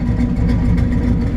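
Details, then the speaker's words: 1964 Chevrolet C10 pickup V8 with automatic transmission and side exhaust pipes, recently replaced starter: deep lumpy burble rising smoothly on throttle blips, firing even and strong; normal V8 rev. "it sounds awesome side exhaust pipes automatic"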